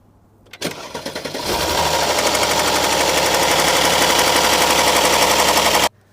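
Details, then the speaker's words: Mercedes-Benz GLS, M276 engine, cold start: V6 cranks, catches, then clatters with fast harsh camshaft adjuster rattle; both exhaust-side adjusters faulty plus oil-pan filter leaking pressure causing low oil pressure. "啊，奔驰的 GLS 啊，276的发动机，冷启动，咔咔咔亮龙异响，怎么听？"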